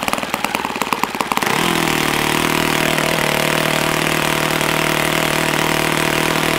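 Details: Customer's YS F-120 model glow engine, first run after tank pressurized and throttle vane screw tightened: brief splutter then steady, even high buzz with no misses or knocks; runs well, no work needed.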